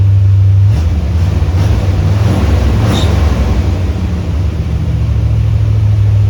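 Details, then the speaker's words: C3 Corvette idling far too high with a heavy steady drone that won't settle, and dieseling about to happen; timing and idle not yet checked. The alternator belt still squeaks despite tightening. "You can hear the dieseling that's about to happen. It's idling super high. I don't know why."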